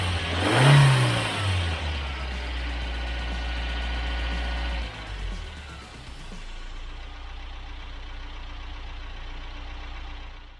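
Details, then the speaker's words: Rebuilt Toyota 22RE with performance camshaft and new rockers, after pushing in backed-out injector connector terminals: revs flare then settle to a steady, even idle, all four injectors and cylinders firing evenly. "a real quick push of the terminals and we've got ourselves a smooth running engine four injectors firing four cylinders doing what they do"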